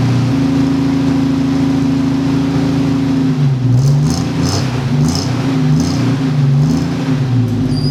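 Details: 1946 Studebaker M5 pickup with AMC 258 six, cold start for spring after storage: smooth steady idle, then clean throttle blips rising and settling evenly; healthy engine.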